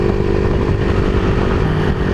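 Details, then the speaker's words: Honda CBR150R with open pipe after carburetor cleaning: the small engine pulls steadily under throttle with an even exhaust note and no stumbling; earlier dying on throttle was traced to the fuel cock not set to reserve. "Parang parang yun na talaga yun eh kasi ayan oh tuloy-tuloy na yung andar natin oh"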